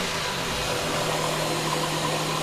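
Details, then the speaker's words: Nissan Quest after front engine mount replacement, which had let the valve cover lift when revved: the engine hums evenly and picks up cleanly with no thump or clunk from the front. Mount fixed; normal engine rev. "before when you revved it this valve cover would come up like this it's like it's fixed"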